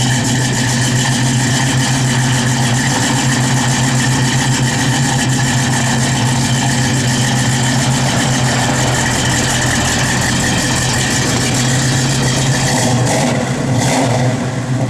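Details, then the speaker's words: 1970 Plymouth Barracuda, 71-date-coded 340 V8 with Edelbrock 4-barrel, headers, Flowmaster dual exhaust, 727 automatic, A/C blowing cold: loud, deep, even burble held steady, no knocks, misses or rattles; engine running normally and sounds good. "Car sounds good."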